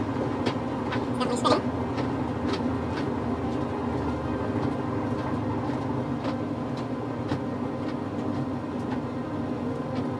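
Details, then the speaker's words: Samsung dryer running after thermal fuse replacement (it had not been drying and shut off after about five minutes); even low rumble with soft tumbling thumps, no squeal or scrape, drum and blower fan motor running normally, checking for heat. "so far so good I'm gonna go ahead and let it run and I'm gonna film it to make sure it all works and make sure we got heat"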